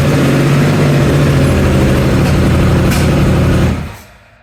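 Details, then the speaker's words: Triumph Thunderbird, first run after sprag clutch repair and engine reinstall, choke applied, around 45–50°F: deep, steady engine drone held a few seconds then shut off cleanly; normal running. "I am super excited to hear that run for the first time. And now that's running, we can finally take that time to put everything else back together."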